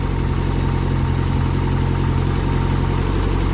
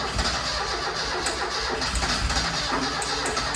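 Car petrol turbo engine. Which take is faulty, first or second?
second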